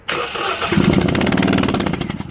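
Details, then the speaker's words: 2001 Toyota Yaris 1.3 petrol, P1310, ECU plug wires tampered with, immobilizer already repaired: even starter cranking for a couple of seconds that never catches; spark on key-on but none while cranking, traced to ECU connector wiring. "it doesn't have you seen there's no spark in there at all so you have a spark when you turn the ignition on but see but then when you start the engine there is nothing"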